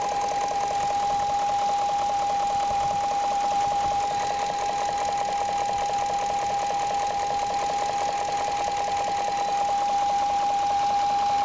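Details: 2001 BMW E38 740iL V8: smooth idle with a faint quick light tapping about two to three per second under a steady high whine; not audible from inside, car runs fine; source of knock unknown.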